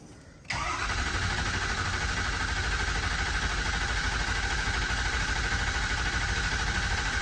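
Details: 2006 Ford 6.0 Powerstroke diesel after crank-no-start repair (standpipes, dummy plugs, injector) with new batteries: diesel catches instantly and settles into a steady, even idle clatter; starts and runs fine.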